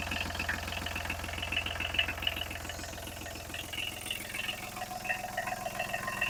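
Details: Kubota B7001 tractor diesel after replacing failed alternator that caused metallic noise, smoke and belt squeal, plus new radiator hoses and G11 coolant: even, steady idle with regular firing beat, no metallic scraping or rubbing; healthy.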